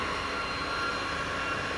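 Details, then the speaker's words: Cisco 3560X network switch that won't power on or light up: constant loud rushing whir with a steady high tone from the fan, not normal; fault attributed to the power supply; loud fan noise. "you can hear the noise that is coming from the fan which is this is not normal"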